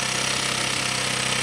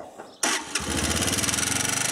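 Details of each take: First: 125cc four-stroke single, 7621 km, top end rebuilt, right after adjusting valve clearance: starts, fast even putter with no tapping anymore; idles cleanly, clearances now correct. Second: 125cc four-stroke, 24 km after top end rebuild, before adjustment: fast even ticking over the idle from rockers clattering; valve clearance too loose.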